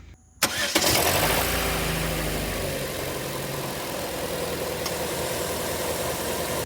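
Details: 2013 Chevy Cruze petrol engine cranks, catches quickly and settles into a smooth, steady idle with no rattle or knock after the fix. The earlier knock-like noise occurred only at idle, not at raised rpm, and was traced to a loose bottom bolt near the water pump.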